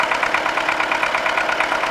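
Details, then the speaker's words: MTZ-80 tractor diesel after a fuel injection pump overhaul, at idle: sharp, uneven knocking with several hard raps per second and misfiring, but it runs smoothly under load. "стучит как то он и троит короче к задаешь доктора но под нагрузкой работает ровно"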